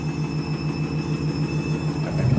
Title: Candy Washing Machine - New Clothes - Strange noise on spin